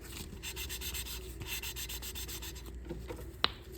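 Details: Hand lapping an engine valve with compound diluted with spit: smooth, even back-and-forth rubbing with no gritty catches, ending in a light tap; seat lapped in evenly.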